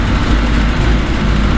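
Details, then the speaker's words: Third-gen car with 36 lb injectors, first start in two years after fuel leak and pressure regulator repair, fuel pressure set 45 psi, TPS adjusted: deep, loud, lumpy idle with uneven pulse and heavy exhaust rumble. Rough idle, computer unhappy with injectors, cause unconfirmed. "she ain't happy with something we got 36 pound injectors so the computer's not happy about that it hasn't run in two years he's not happy about that"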